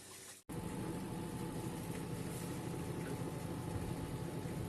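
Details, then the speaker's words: Turbo Drum 3 8.5 kg washing machine, reassembled with its belt after a heavy-vibration-in-spin diagnosis, draining before the spin cycle: quiet steady pump hum with no rattles or grinding; normal drain. "estaba expulsando bien el agua esperar que saque el agua y arranque el ciclo de centrifugado para mirar la diferencia en movimiento"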